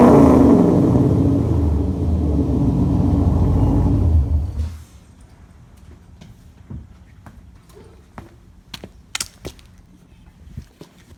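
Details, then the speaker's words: 2006 C6 Corvette V8 with new Maximizer headers and X-pipe, no cats: deep loud throaty rumble for about four seconds, then shutoff. Normal healthy exhaust note. "that sounds great."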